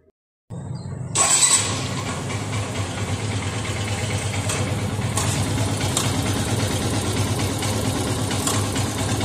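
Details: Yamaha FZS V3 motorcycle just after start-up at idle. A fast, uneven metallic clatter over the engine beat, identified as cam chain noise, not throttle noise; tightening the tensioner lessens but doesn't cure it. Timing chain rattle.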